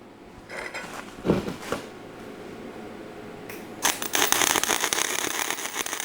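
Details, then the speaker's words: MIG wire welder running practice beads on scrap steel: uneven spitting crackle with sharp pops instead of a smooth sizzle, sparking from too little voltage, so the setting is to be turned up slightly, to about 42. "And one thing I kind of noticed right off, it's sparking a little bit. Sounds like we don't quite have enough voltage there, so we're going to turn that up just a little bit there, maybe 42 it says."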